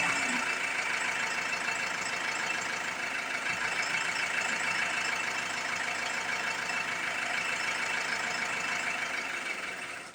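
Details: Ford Transit MK7 2007 2.2 TDCi diesel, after new injectors were fitted and lines bled: a loping, uneven beat with wavering speed over steady clatter; rough idle persists, cause unconfirmed (fuel relearn pending).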